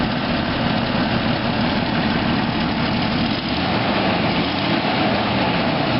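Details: 1993 Jeep Grand Cherokee after exhaust manifold replacement, with new power steering pump and radiator: steady, even idle with a smooth low rumble and no sharp ticking or puffing; the exhaust leak is much reduced and the engine sounds healthy.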